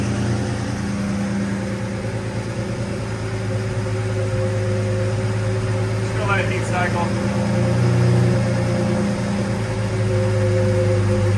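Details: Lamborghini Murcielago V12 after repairs (new filters): a smooth, even low idle with a steady rumble and no stumbles or ticks. Normal idle.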